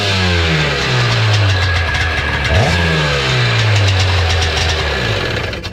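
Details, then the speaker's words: Seadoo XP 800 two-stroke after draining the water and reconnecting a loose hose, with good carbs fitted and rave valves cleaned: crisp rev that climbs and settles cleanly, pitch tracking the throttle with no misfire, a normal start and rev. "Sounds pretty good now, so we'll give it another try. Amazing how much better they run when they don't have water flinging up into the car."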